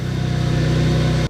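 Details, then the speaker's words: Infiniti G35X on the coldest day of the year after repairing multiple exhaust leaks: smooth, even low exhaust note with steady pulses, no ticking or hissing leaks, then shut off; exhaust now sealed and healthy. "actually sounds like a normal car now yeah almost all the sounds coming from back here now sweet it sounds a lot better"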